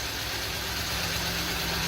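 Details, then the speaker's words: Truck with about 170,000 miles and a rotary shifter, flashing check-engine light for an active misfire: uneven idle with a light, fast tick; suspected internal engine issue, engine to be replaced; engine ticking with misfire at idle. "Now I hear a ticking and I see a misfire. What do those two have in common? A lot."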